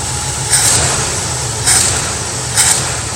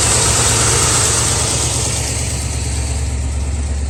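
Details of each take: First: Mustang V8 with carburettor, cold start after replacing an arcing spark plug wire that caused a slight tremble: steady, even low rumble at idle with no stumble or skipped beats. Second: Ford Mustang V8 with carburetor just set, idling with a slight tremble and uneven beat at night: misfire from a driver-side spark plug wire visibly arcing to ground.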